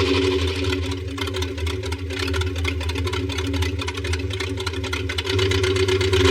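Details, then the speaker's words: 1973 Buick Electra 225 455 V8, sitting for years, first run: rough lumpy idle with uneven chuff and stumble, running on only some cylinders; misfire. "It's alive! Well, 62% of it. That sounds really terrible, and it's running on 4."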